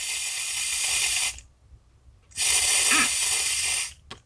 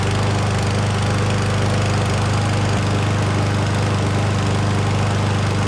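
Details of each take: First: Lawn mower carburetor rebuild after sitting over a year, with the float and pin reinstalled and air blown into the fuel inlet. Two bursts of steady, airy hiss with silence between show the leaking sound, while the rebuilt valve was silent and in good shape. Carburetor float needle valve leak. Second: Certified self-propelled push mower after a carburetor clean, fresh oil and fuel: steady, even single-cylinder drone with no misses or surging, then a clean shutoff and no leaks; normal running after repair.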